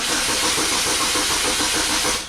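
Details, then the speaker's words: 2004 Oldsmobile Alero 2.2-liter, nearly 200,000 miles, cranked with the PCM's only ground splice removed from the ground post: steady, even cranking that never catches; ignition still fired, but the PCM likely could not ground the injectors. "okay the most likely i did not completely lose the ground the fact that i could that i had ignition pack was firing the computer was sending the signal to the ignition"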